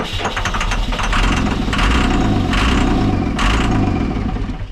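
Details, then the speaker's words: 2002 Cummins-powered Snap-on truck diesel, sat about 10 years: starter cranks in bursts with brief firing on starting fluid but never runs; no fuel return at the tank from the line pump, a pump wire pulled out, injectors possibly sticky; crank no-start, no fuel delivery. "We just thought that we should see if we're getting fuel out of this line pump, and we're not getting any return at the tank, and one of the wires just pulled out."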